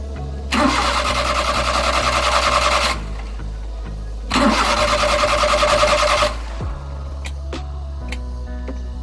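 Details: Suzuki F6A Multicab engine: two long bursts of steady starter cranking at about three turns a second, never catching; crank no start, cause unconfirmed.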